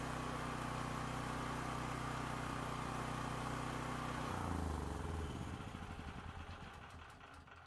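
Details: Used dual-fuel (propane or gas) generator after testing its start switch: small engine runs at a steady, even beat for about four seconds, then winds down smoothly; healthy, no misses or knocks.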